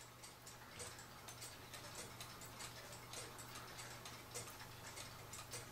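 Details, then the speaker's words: Cuckoo clock after cleaning and oiling, sitting level: light uneven tick-tock just under once a second, out of beat; it only ticks evenly tipped over. Fix is bending the wire behind the pendulum wire. "Clock's not ticking pretty. Have to tip it clear over here in order to get it to tick right."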